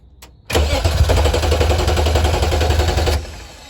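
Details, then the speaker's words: BMW E36 cranks about three seconds without firing; the line was emptied and needs to build fuel pressure, priming suspected needed, not confirmed. "It's just got to build up fuel. It got to build up pressure because it kicked it all out of the line."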